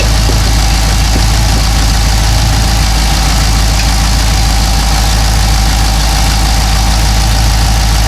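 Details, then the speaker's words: Cadillac CTS-V LS V8 with long-tube headers, exhaust leak from broken header bolts sealed with clamp bracket tightened while running: loud steady idle rumble with no ticking or puffing; normal idle. "Yeah, it sounds good now. So there you go. It looked like it kind of squared itself up as I was tightening it up."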